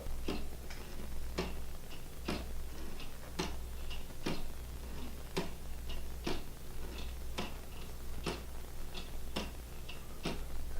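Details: Homemade weight-driven wooden geared pendulum clock with a ratchet rewind, run on fishing-line cords and 3–4 lb of lead shot, wound about every 28 hours: steady tick-tock of about one beat a second over a quiet room; running properly.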